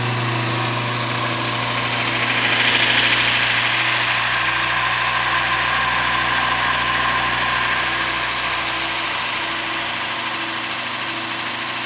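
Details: Yard-sale VIEL 1x42 in belt sander/grinder with replacement motor, added switch and new rubber feet: steady motor hum, light belt hiss, quick even flutter, no grinding or squeal; normal running.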